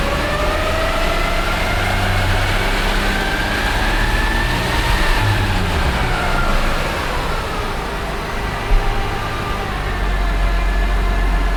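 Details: Nissan ER34 Skyline GTT manual transmission bought new from Nissan, failed after 3,000 km: gear-like whine like reverse or straight-cut gears, rising and falling with road speed over road noise; mechanic diagnosed excessive transmission bearing wear, clutch release bearing fine.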